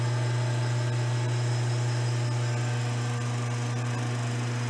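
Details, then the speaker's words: Alternator on a homemade test bench, belt-driven by a motor, battery half discharged: charging at 13 V rising to 14.4 V, pilot lamp off; steady even hum with smooth whir, no knocks or rattles; normal alternator charging. "mudou o barulho e começou a carregar lá ... está 13, .. porque a bateria está meia descarregada mas daqui a pouco ela sobe para 14,4 V"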